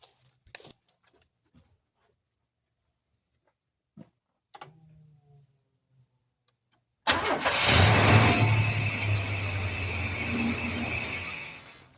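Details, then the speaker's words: 1991 Chevy S10 truck: steady cranking at about three beats a second, then it catches and runs roughly for a few seconds before dying; timing sounds good, but the engine isn't getting fuel, a no-start from fuel starvation. "Well, it's going to run. Seems like everything's in line, but it's not getting fuel. So now we just got to figure out why it's not getting fuel."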